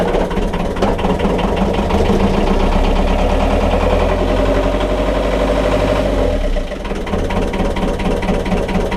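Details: 1.5 BMC diesel boat engine after a glow plug change, just started, on raised revs before engaging the prop: rough, uneven clatter with irregular beats and dropped firing strokes; engine misses a bit and is noisy.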